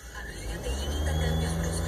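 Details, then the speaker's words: Humming whine through the car stereo speakers that climbs in pitch and volume with each rev, tracking engine speed. It drops considerably with the engine off; a technician called it a factory defect. "escucha el ruido como un zumbido y cuando aceleró aumenta más el ruido lo hace más de corrido como que trabaja como que el ruido va al ritmo de la máquina"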